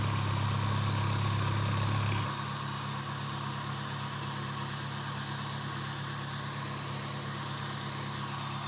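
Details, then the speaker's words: Suzuki Swift once the air-flow sensor reads normally again: a steady, even four-cylinder idle with no tapping or clatter that settles slightly lower and runs smooth, like a normal car. "Oke dan ini setelah sensor udara membaca dengan normal ya dan Ini hasilnya Alhamdulillah adem nah seperti ini ya seperti mobil pada umumnya ya"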